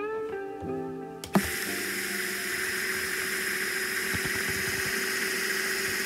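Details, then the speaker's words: New D2 pump for a DIY reef aquarium doser, test-run on a power supply before installation: faint music, a click, then steady soft motor whir with light irregular ticking; pump works fine. "looks like it works great hopefully the camera picks this up"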